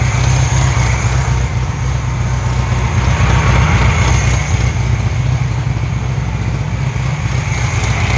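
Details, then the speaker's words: Hot new 1600cc engine in a 1968 VW Karmann Ghia after second break-in, 20 psi oil pressure at idle: loud, lumpy idle with uneven pulse about four beats a second, a little smoky; rough idle, still needs tuning and timing. "20 psi hot on idle here she's a little choppy a little smoky you ever take if it's picking up um she's a little choppy I still got a tune in the car"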